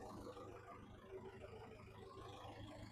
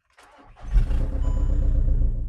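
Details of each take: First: VW Caddy after a 2.0 SDI to 1.9 TDI PD conversion, with a new auxiliary belt and the exhaust only to the center section: a quiet, even diesel idle under a steady fan whir. Owner suspects the Webasto delete, which needs coding out in VCDS. Radiator fans running constantly. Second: VW Caddy fitted with a 1.9 TDI PD (BLS) in place of a 2.0 SDI, first start with no coolant and low fuel, run only briefly: a brief crank, then it catches within a second into a steady, even low diesel clatter; a normal diesel start.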